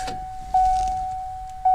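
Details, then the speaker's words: Later-model Ford Fox-body warning chimer swapped into a 1979 Mustang, volume fixed: two loud, clean chime tones about a second apart, each ringing and fading evenly; normal warning chime at full strength. "that's pretty loud that sounds good"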